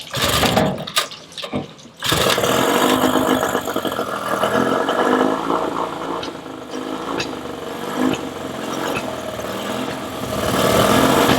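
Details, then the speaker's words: Yamaha 20 HP two-stroke outboard idling unevenly, its rapid beat stumbling and sneezing; spraying starting fluid into either carburettor smooths it, pointing to a lean misfire, suspected vacuum leak. "Because spraying that fluid seemed to smooth it out, it does seem this is a lean condition, so it certainly sounds like one."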